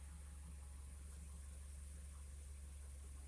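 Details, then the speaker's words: 2016 Ford Transit Connect 2.5 L idling in drive after replacing top engine mount and dry-rotted torque strut mount; quiet steady hum, no shudder, vibration noticeably reduced versus before. "The vehicle is in drive right now. I can feel a pretty good difference."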